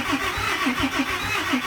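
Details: 2008 Dodge Ram 3500 6.7 Cummins diesel, cranked after priming the fuel pumps following a part install; steady cranking about five or six compression pulses a second, never fires, owner unsure the system self-bleeds.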